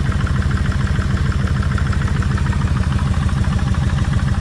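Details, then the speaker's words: Kawasaki Vulcan 1600 V-twin idling warm, after revving; light ticking clatter from the top end. The rear cylinder's lifter used to tap hard when revved but is now less than the front, and timing-chain rattle is suspected; cam chain adjusters are the subject. "cuz every time I used to rip rip the motor just a little this back one would be W you know the lifter and all would be tapping pretty hard but it's not doing it as bad as the front one is"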